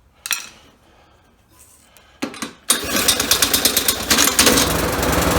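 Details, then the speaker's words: Swapped engine on a lawnmower with a new Amazon carburetor, no air filter yet, started with a drill and half choke: cranking bursts, then fast even firing with no misses, smoking a little; normal running. "there you have it motor swap motor starts and all I need now is to put the air filter on there"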